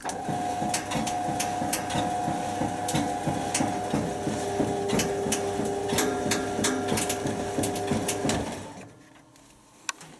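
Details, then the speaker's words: White Knight dryer on a test dry: a steady thump about three times a second over the tumble hum, then it winds down. "And by that sound, it's just probably maybe the drum spider is starting to go. It's definitely hitting the top. I don't like the noise of it."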